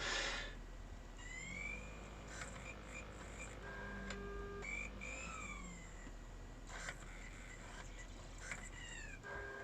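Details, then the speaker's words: 12-inch iBook G4 reading a 2001 Mac Addict CD: whirring spin-ups, rising chirps and clunks with repeated stops and retries; owner thinks the optical drive is going bad. Noisy, struggling disc read. "oh it sounds like it's struggling a bit there it goes"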